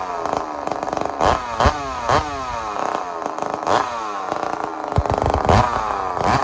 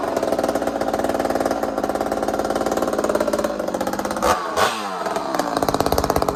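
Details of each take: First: Chainsaw just rebuilt after a blown-up engine with trashed connecting rod and a broken-bolt setback; crisp, clean, responsive rev bursts with no rattle or bog, sounding healthy. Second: Ported two-stroke chainsaw on first fire after rebuild: revving rough and rattly, then sudden jarring stumble and clatter before picking up; a connecting rod bolt broke and jammed at the crankshaft.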